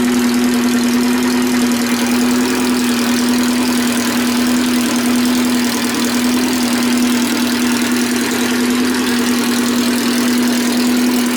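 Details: Race car idling after a fresh rebuilt cylinder head (new valves, valve seals, keepers) and a valve adjustment, following months of repair after breaking it: steady even drone, no knocks or misses, sounds healthy.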